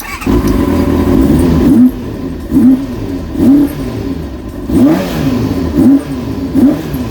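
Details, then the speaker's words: Kawasaki Ninja during rebuild, first start after refilling coolant, plugs not yet checked: clean throttle blips rising and falling smoothly from steady idle, no longer stuttering when revved; healthy revving. "but it seems like it's it's not not stuttering when you rub it up anymore"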